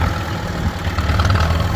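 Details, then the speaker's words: International Harvester B275 diesel tractor after discing: idle swells and dips instead of holding even. Hunting idle; owner suspects the diaphragm, possibly the injection pump itself. "as you can hear the tractor is still not idling uh all that great going to have to mess around some more with that diaphragm"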